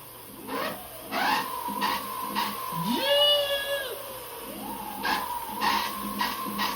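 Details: Tuttio ICT e-bike with the new metal-geared hub motor, leaned on its side in first gear at pedal assist 1 then 5, before greasing the gear teeth. A smooth whine climbs as the freewheeling wheel spins up, with light rhythmic ticking. The motor sounds healthy.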